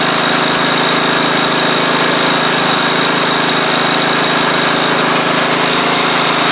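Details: Replacement engine with new head gasket on a Troy-Bilt Pony rider (the original seized, likely after running without oil): steady, even drone with no knocks, misses or surging. It runs healthy, with slight smoke on startup, less at low throttle; the owner suspects oil on the exhaust.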